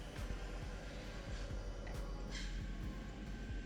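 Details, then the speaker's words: Yamaha R1 on a cold start after the slipper clutch retaining springs were shimmed and welded: a steady low idle rumble with no clutch chatter or rattle. "We'll start her up, and you can hear that there isn't a chatter."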